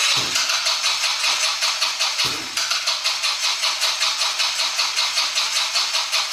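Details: 2020 Yamaha Grizzly 90cc kids' ATV that only ran on choke, after carburetor fix, 80°F: couple of quick cranks, catches and settles into steady even chuffing; starts and idles fine.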